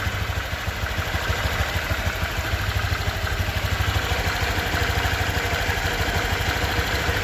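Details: Honda Vario 125 2023 scooter at just over 1000 km, engine sound check: even, steady idle with a regular soft pulse, no knocks, rattles or ticks; owner reckons it runs smoother than at 500 km; normal idle.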